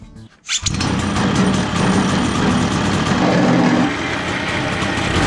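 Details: 210cc two-stroke paramotor engine, high compression with decompression button, on a drift trike build, about 19 hp: flooding briefly, then catches and settles into a loud steady raspy buzz with no misses; running strong.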